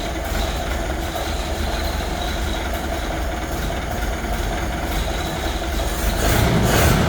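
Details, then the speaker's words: Collector car started in the garage after fitting a new fuel pump, filter and shutoff setup: steady, even engine roar with no knocks or misses, swelling smoothly as throttle opens; very responsive, healthy running. "So as you can see, very responsive. We hit the gas and it just honks, you know, so I couldn't be happier with the way that turned out."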